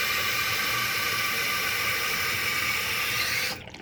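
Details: Costco Water Ridge C22148C one-piece toilet test-flushed after the fill-valve seal/gasket was replaced: a strong, even rush of water for about three and a half seconds, then a clean cutoff. A healthy, complete flush.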